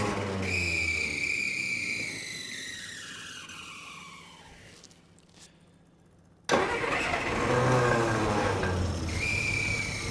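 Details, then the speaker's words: 1949 Plymouth Special Deluxe, first crank after sitting 30 years: starter whirs, engine sputters, nearly catches, then dies and cranks again without running; air cleaner restriction or choke questioned. "it is nearly running go for it foreign listen to that it's barely even making noise"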